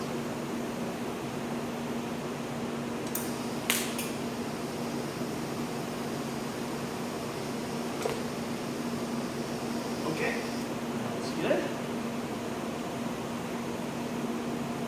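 Even, steady hum from the arc with a few brief crackles, no spitting or popping; the arc is running smooth and stable.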